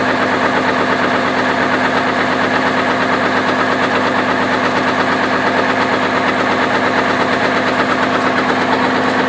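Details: 2002 Chevrolet Trailblazer petrol engine idling with the belt removed (water pump and accessories ruled out): steady, deep knock about three times a second, rod knock from a worn rod bearing.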